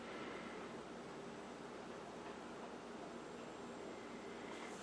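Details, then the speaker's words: Emerson 637 tube TV, previously written off by a repair shop, all tubes lit, speaker unplugged; thin, steady very high-pitched whine over a soft hiss as the high voltage comes up normally, though no raster or brightness yet. "I'm hoping I can get a raster. I can hear the high voltage kicking"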